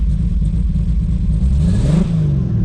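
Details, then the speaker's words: Built 2JZ-GTE in a 1995 Toyota Supra revving with a deep, uneven rumble and a lumpy beat that never smooths out. One cylinder is dead from an unplugged injector. "Still nothing. And the other one's good. Oh, man. That is like some devastating news."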